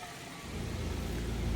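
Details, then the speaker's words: 2023 Nissan X-Trail T33 with knocking and body vibration at 30–40 km/h; on the lift, a deep rumbling drone builds as the propeller shaft spins, confirmed as the noise source, worn front universal joint. "So ang concern dito is may knocking noise. So kung maririnig niyo sa video meron siyang tumutunog sa ilalim."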